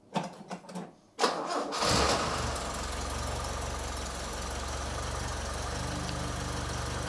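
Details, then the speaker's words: Toyota RA28 Fastback Celica being prepared for roadworthy inspection, after fitting a complete new exhaust; short crank, firm catch, smooth even idle with steady low exhaust drone, no puffing or ticking leaks. Normal exhaust note. "that's a spicy meatball and this is what it sounds like with a new exhaust"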